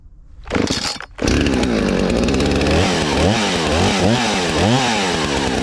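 Chainsaw pulls down into the cut and recovers in repeated sweeps, holding strong revs without bogging; fuel delivery sounds healthy.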